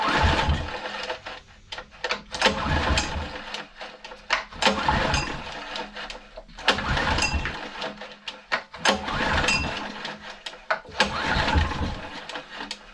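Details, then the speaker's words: Honda EG1900x petrol generator (Honda GX140 engine), stored over 10 years with fuel tap left on and stale, grim fuel; repeated recoil pulls give brief coughs that never catch, only runs on choke; hard starting, suspected bad fuel. "that's about fuel so it's only running on choke which is expected I mean that fuel is pretty Grim so that doesn't surprise me really"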